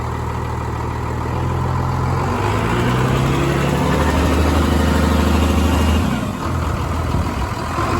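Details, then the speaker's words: Ford F350 diesel converted to 24-valve P-pump with 4K governor springs and AFC Live, some injectors failed from contamination and one likely needs replacing: heavy diesel clatter settling into steady idle after start; starts and idles normally. "I'll start it up for you. Sounds good."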